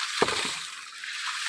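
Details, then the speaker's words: Mini hydram water pump, about 150 psi, delivering 6 m vertical through 30 m of 2-inch pipe: sharp thump about every 1.3 s with water hissing between as the waste valve slams, compressing the tank; normal operation. "di tanah itu kayak bas itu loh kalau kita nyetel musik basnya kencang itu ya kayak gitu degk lah itu menandakan kompresi tabung"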